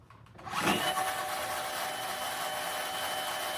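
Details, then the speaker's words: Razor Black Label E90 scooter after replacement of the hub motor, whose old bearings were shot and growled: the new motor spins up and settles into a smooth, steady high whine, a healthy sound. "That's a very different sound. That sounds good. It's got a whine instead of a growl."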